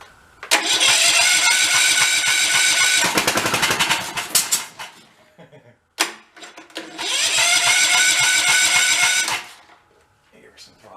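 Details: 20-year-old Cub Cadet riding mower, salvaged and revived: two short runs of several seconds with a steady buzzing engine note, no knocking or belt squeal; runs fine.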